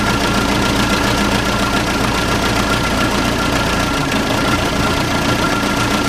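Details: Case 580C diesel backhoe, unstarted for 10 years, started with ether: steady diesel clatter at idle, even beat with no misses or knocks, sounding pretty good; normal idle.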